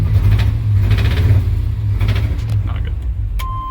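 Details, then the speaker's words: 1988 Chevy K2500 pickup, sat a while, converted from fuel injection to carburetor: deep lumpy idle with uneven stumble, missing on a cylinder; owner suspects contaminants sucked into fuel system, not confirmed. "so what I think is going on with that weird running I mean the the only thing that I think it could even possibly be as we've sucked up some contaminants"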